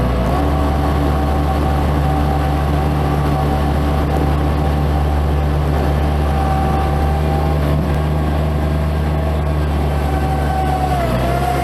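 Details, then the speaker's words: Bobcat MT85 mini loader after belt tensioner replacement, deep steady diesel rumble holding even with a full loaded bucket and no belt chirp or squeal; old tensioner was the cause. "That's a full bucket. So replacing that tensioner completely fixed that squeaking."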